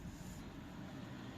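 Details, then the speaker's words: 2005 Ford Focus Mk2 1.8 petrol, rear nearside hub with drum off, spun by hand: low, rough, horrible grinding rumble from a worn wheel bearing; hub was seized and was replaced. "this is the knackered you can hear the thing when you spin it it's making a horrible"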